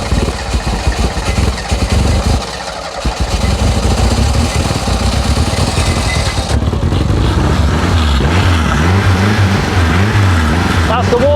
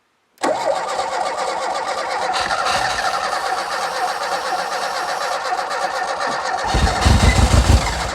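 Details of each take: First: Renault 5 GT Turbo barn find, unmoved since 2001, suspected dead electric fuel pump bypassed with a funnel feed: cranks, catches and settles into an uneven, lumpy idle with a few blips on choke; starts and keeps running. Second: Renault 5 GT Turbo barn find, unmoved since 2001: long even cranking with a brief heavier stutter near the end as it nearly fires but never runs; spark present, suspected lack of fuel. Cranks but will not start.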